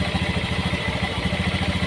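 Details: Honda Beat FI scooter that won't electric-start and has a dead dash but kick-starts; idling with the battery unplugged for a regulator voltage test: a quick, even idle with a steady exhaust pulse, no misses or knocks. Charging is good at 13–14 V, and the battery is faulty.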